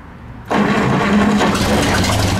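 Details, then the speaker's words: 1934 Chevrolet 1.5-ton truck, first cold start on choke after carb cleaning, sanded points, oiling, fresh gas and a 6-volt battery; it catches and settles into a steady, even idle with no misses or knocks. "yeah she does sound pretty good"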